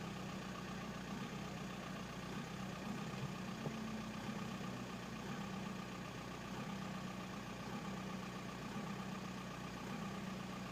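A steady diesel clatter at idle with a slightly uneven beat under the drone, which fits injectors that aren't metering evenly.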